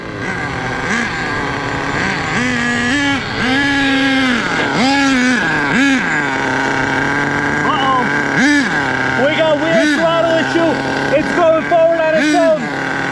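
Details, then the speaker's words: HPI Savage 1/8 nitro monster truck with a worn engine, two big scores on the sleeve and low compression: engine screams and surges up and down with no throttle input, a throttle glitch that forced shutdown by plugging the exhaust. "I think I know what happened we got to shut it down weird issue we got a throttle glitch I got to shut it down"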